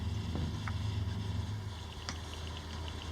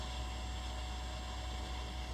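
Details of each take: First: Water-cooled PC, water around 31°C: low fan and pump hum with a faint tick about three a second, believed to come from the back fan, previously caused by a wire touching it. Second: Watercooled garage PC after swapping soft tubing for hard line, running about two hours with pump on setting five and no leaks: steady, even hum with a faint constant high tone and no surging or rattle.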